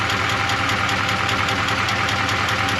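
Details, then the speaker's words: 1985 Chevy Suburban K20, warmed up, idle slightly lower: quick, fairly even tick about 150 a minute over a steady V8 idle; engine ticking, owner thinks it sounds like exhaust leaning on something, not confirmed. "now it's warmed up I only a bit lower definitely hear a wicked ticking though"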